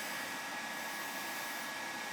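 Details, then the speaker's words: Gas furnace that was not heating, thermostat wires jumped out to bypass thermostat: burner lit, steady even blower air rush with no rattles or surging; normal furnace operation, thermostat to be replaced. "she's gonna start she's gonna fire up we're gonna replace that thermostat"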